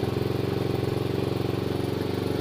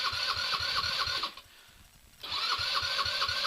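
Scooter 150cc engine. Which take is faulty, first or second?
second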